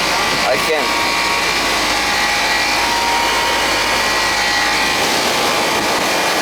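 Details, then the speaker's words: Central AC on service call, outdoor unit with Bristol compressor just switched on: steady airy condenser fan rush over even hum, no squeal, rattle or cycling; running normally, cooling not yet confirmed. "now that once it runs for a little while this is going to get nice and warm and then we'll see if it's getting cold that's a Bristol compressor here"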